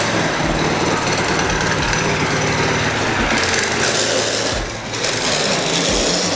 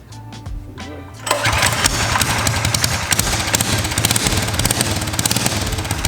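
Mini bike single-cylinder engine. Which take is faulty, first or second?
first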